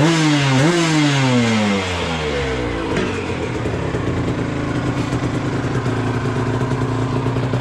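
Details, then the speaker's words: 1997 Aprilia RS 125 GS two-stroke in full-power trim: sharp blip falling back to a busy, crackling ring-ding idle; healthy engine with the power valve open and working. "On entend bien claquer là, avec la soupape ouverte."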